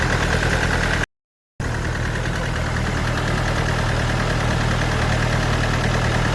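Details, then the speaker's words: Engine at heavy, lumpy low idle with an uneven chuff and a choked, muffled note; the turbo's intake side spins but its exhaust side is seized, blocking the exhaust outlet. "Pokażę wam co się dzieje jak jest zablokowany wylot spalin"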